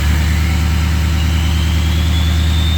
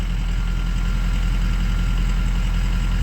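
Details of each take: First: 2003 Ford 6.0 Powerstroke diesel in Drive: low heavy drone with a faint whistle slowly climbing; engine super weak, very slow to build boost, VGT behaving erratically; weak FICM (44–48 V) suspected, FICM and blue spring on order. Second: 2003 Ford 6.0 Powerstroke diesel with weak FICM (about 44-48 V) suspected: steady even low clatter at idle, no dropouts or stumbles; intermittent misfire currently gone, normal idle.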